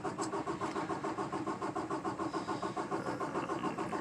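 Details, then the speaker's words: 2018 Peterbilt 579 diesel with a hard start since new. Even starter cranking at about 3.5 strokes a second goes on and on without catching. It had just come back from the dealer with a new priming pump assembly. "cranking and cranking agree there it is that'll be on for a couple days it's the same one it always has had really really annoying but that's the way it is with this truck"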